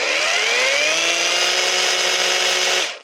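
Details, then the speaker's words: Restored Parkside Performance jigsaw, rebuilt from two dead units and over-greased, run in automatic mode after the owner heard a slight crackle. A high, steady motor whine climbs slightly to speed, holds evenly, then winds down when switched off; it seems to work. "Écoutez, elle a l'air de fonctionner."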